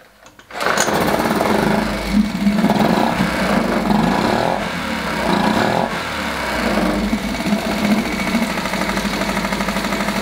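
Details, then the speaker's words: Small outboard motor just after adjusting the carburettor air-fuel screw: catches quickly and revs up immediately and evenly on the throttle with no bogging or stumble. "wat de bedoeling is is als je gas geeft met de hendel dat ie gelijk op pakt dus dat hij gelijk weer gelijk in toeren omhoog schiet"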